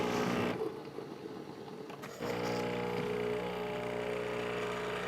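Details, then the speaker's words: Breville Infuser espresso machine after water was drawn: a quiet pause, then a steady buzzing pump hum holds evenly as autofill refills the boiler; normal boiler refill pump. "So let's turn the autofill again. It knows that I took water out of here, filling the boiler back up."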